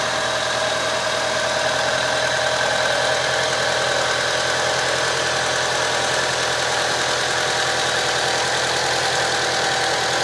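Idle runs with an uneven, loping beat and an occasional stumble, as if one cylinder drops out now and then; cause unknown.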